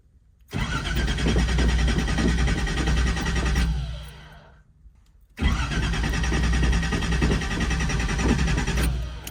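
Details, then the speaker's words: Datsun 280ZX with a new alternator and new battery: two cranking tries of about three seconds each at a steady four beats a second, with no firing. It cranks but won't start; a leaking fuel filter is suspected. "well that was a fail let's check it out and see if there's anything that we missed"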